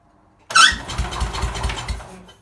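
Engine catches with a sharp burst, then idles unevenly with lumpy pulses and sagging speed, typical of a cold engine running rough before warming.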